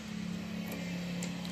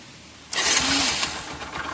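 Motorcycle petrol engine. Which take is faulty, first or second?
second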